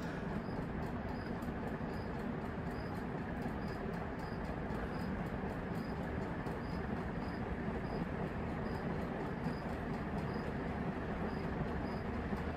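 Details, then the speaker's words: Tat stamped-steel industrial ceiling fan with heavy steel blades, running after replacing a failing capacitor that made it run too slow: steady smooth whoosh with light regular tick per turn as it speeds up; drastically faster, healthy, may need balancing. "these steel on steel do still take a little bit of time to get up to speed but it's i could tell it's definitely going a lot faster than still speeding up i can hear it speeding up"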